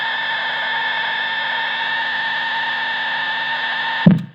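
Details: Vitoos ISO4 pedal power supply, heard through the amplifier with a Boss pedal moved to one of the two end outlets: a loud, steady, high-pitched layered screech that cuts off with a thump. Faulty supply outlets, which are quiet on the other outputs.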